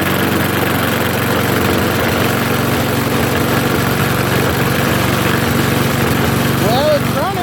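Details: Trash-picked lawnmower, small single-cylinder, after priming: steady, even putter at constant speed with no misses or knocks; running cleanly.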